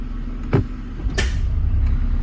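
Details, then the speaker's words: 2008–2014 Mercedes C300 W204, 722.9 7G transmission previously not shifting due to bad conductor plate/valve body: after reconnecting valve body, low steady idle with one soft thump as gear engages, no slip or harsh clunk; engages normally. "all right guys I'm just gonna try to start it up the a bit engages with the transmission so right here"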